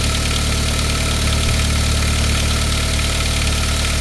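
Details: 1999 Saab 9-3, 110,000 miles, after head gasket job, cold start: fast, loose rattle about two beats a second, gone once warm; hardened, shrunk valve-cover upper chain guide rattling, replaced to fix, chains fine; timing chain guide rattle.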